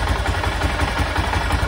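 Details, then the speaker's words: 1996 BMW F650 Funduro single after carburettor rebuild, warming up: slow, slightly loping thump at tick-over, idle set too low; it is usually about 1,500 rpm. "it's about one and a half thousand usually"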